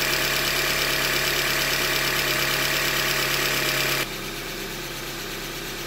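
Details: 2015 Hyundai Elantra Limited, about 90K, steady idle with fairly even knock about four per second, mostly upper tones; short block failure from manufacturing defect, short block later replaced.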